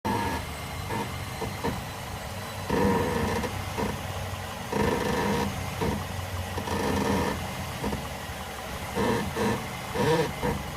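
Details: 2006 Mazda 6 with drawn-out groaning creaks in irregular bursts from somewhere near the driver's side front wheel while moving; no play found with the wheel off, and greasing one bushing didn't help; exact source unknown.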